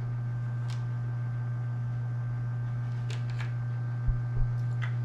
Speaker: there's the fan oh if you hear the fan can you hear the